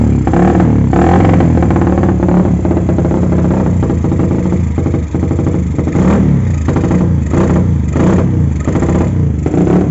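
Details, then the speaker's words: Carbureted motorcycle with a vacuum fuel petcock, ignition and electrics good and carb already cleaned: uneven, stumbling idle with irregular surges and a sucking carb; it runs rich and wasteful at idle and low rpm because the faulty petcock passes too much fuel. "Nah jadi kendalanya seperti itu bisa kita dengar dari suara karburatornya nyedot udara kayak gitu ya ini boros banget ya teman-teman"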